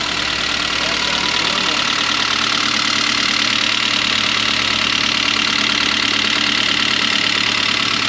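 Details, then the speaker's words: Saab 9-3 after cooling-system overhaul, second start while diagnosing low oil pressure: light metallic pinging about three a second over steady idle, no oil pressure light; owner fears the motor may be gone and will let it run. "Definitely still got that pinging sound, so I guess time will tell if the motor's gone or not."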